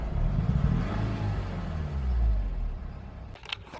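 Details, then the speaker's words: 2007 Honda Civic Hybrid, dual-spark-plug engine: the small engine revs with an uneven, stumbling beat and drops back roughly. The misfire was absent at inspection the day before, and its cause is not yet determined. "yesterday when I checked out the car it definitely did not have the misfire when I first was looking at it so I don't know if he just got lucky and was able to pull the little sneaky on me or what but yeah the misfire is definitely really"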